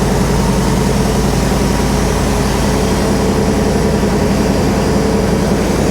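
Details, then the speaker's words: Classic automatic car that sat for years, first start after its fuel system was flushed of old gasoline; steady low V8 idle with a faint, even light tap about three or four a second; belts not squealing; source of the idle tap not found. "wow sounds good yeah only a minor vibration at start very little starting to hear just a little bit of a tap belts and all aren't squeen"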